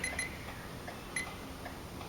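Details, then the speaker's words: 2012 Ford Escape after fixing a dead short in the trailer lighting module power supply: left turn signal tested, crisp evenly spaced flasher clicks repeat steadily; normal turn signal flasher operation. "Beauteous. I can hear it beeping, I know it's good."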